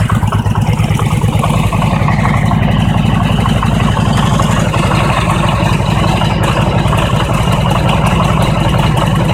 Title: Harley Engine Knock - when engine is cold